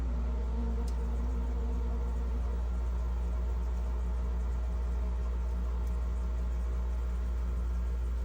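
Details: GE French-door refrigerator, fresh-food evaporator fan running again after a clogged drain had seized it: steady, even low hum with no ticking, scraping or catching, spinning freely and smoothly.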